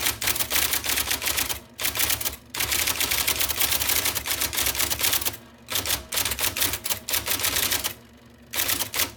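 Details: 1979 IBM Selectric II (non-correcting) electric typewriter, revived after cleaning, lubrication and plug rewiring, typing normally: fast crisp clatter of the type ball striking paper in even bursts, brief pauses for carriage returns; healthy mechanism.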